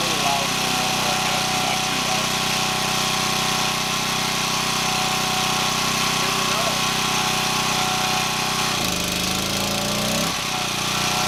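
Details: Champion 1200W portable gas generator powering a Frigidaire fridge (4.75 A), 122 V on the meter: steady, even drone with only brief sags as load comes on, recovering quickly; running normally.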